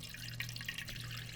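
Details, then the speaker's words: KitchenAid/Whirlpool/Kenmore refrigerator water dispenser after water valve replacement. Irregular hissing spits and splutters over running water as trapped air purges from the line. Water flowing is a good sign, and it is left to run until the air stops. "water's coming out that's a good sign you can hear the air escaping"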